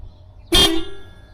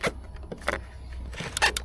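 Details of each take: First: 2006 Toyota RAV4 (ACA30) horn after a missing ground was fixed by adding a ground cable from the horn to the battery: one short, clear horn blast at a steady pitch and full volume; the horn now works properly. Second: Toyota RAV4 (ACA30) with dead horn: sharp irregular relay clicks over low hum and no horn tone while probing the green relay ground wire from clockspring and horn pad; horn circuit found to have no path to ground, fixed with a new cable.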